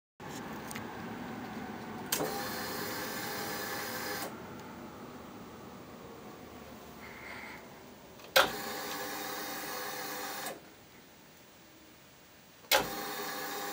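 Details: Ducati Monster after a battery spark while fitting HIDs: each starter press gives only a two-second electric hum like fuel pump priming, with no starter turning — no crank.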